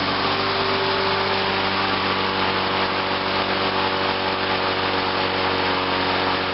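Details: 1986 Lawnboy 8461 Commercial mower, started on choke: fast, even buzzy drone at steady pitch, no misses or surging, running smoothly after starting; normal running.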